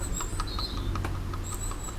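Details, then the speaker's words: BMW M54B30 (E39 530i / E46 330i) water pump during cooling-system refresh, shaft turned by hand: light, regular ticking about five times a second, a tiny click showing the pump bearing is worn. "I don't know if you can hear that there's a tiny click so it looks like the bearing is definitely not new"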